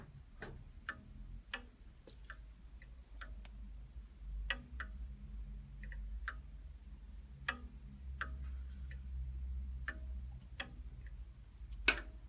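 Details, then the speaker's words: Fagor FUS 6116 IT washer-dryer after drying cycle, power off, waiting for the door interlock: sharp dry clicks about every half second over faint hum, suspected thermostat, door lock or board; cause unconfirmed. "It's just a synthetic dust cloth, so I can put it out on the line to dry now at this stage, but sounds like there's a thermostat or something clicking in and out there."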